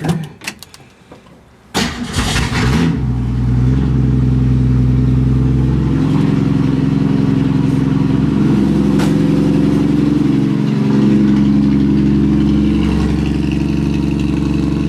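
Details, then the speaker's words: 1965 Ford Mustang restomod, inline-six, cold start at about 45°F after a week sitting: brief crank, catches at about two seconds, then smooth even idle, no knocks or misses; healthy cold start. "so cold start it's about 45 out I think not it's probably not even that warm yet so we'll see how we're making out here"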